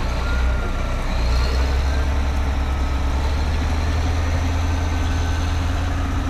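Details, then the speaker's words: Caterpillar 18M3 motor grader diesel running and driving to the workshop after a temporary steering repair, with a steady steering fault warning beep over the engine drone; steering cylinder failure likely from mud buildup on the front axle. "That loud beep beep you're hearing is the steering fault warning and I'll have to drive all the way to the workshop with that sound going. Trust me, it's extremely annoying."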